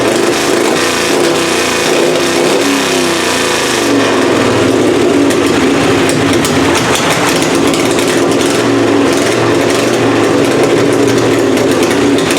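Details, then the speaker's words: Puller engine "Plan B" after head gasket replacement and timing adjustment, first run of the season: loud, rough-edged but steady running with no misses or knocks. The gasket seems sealed, though the carburettor still needs tweaking. "we got Plan B fired up sounds pretty good head gasket seems like it's all still sealed up uh timing sounds good now that I adjusted it"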